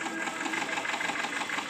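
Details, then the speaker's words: Subaru Forester boxer engine after general overhaul, fault still present: uneven lumpy idle with stumbling hollow beat, two cylinders on one side not working despite new coils, injectors, plugs and good fuel pressure, compression and timing; cause later found in VVT valves. "no me estaban trabajando esos dos cilindros como es un motor boxer esos dos cilindros no me estaban trabajando en esa parte que vemos ahí"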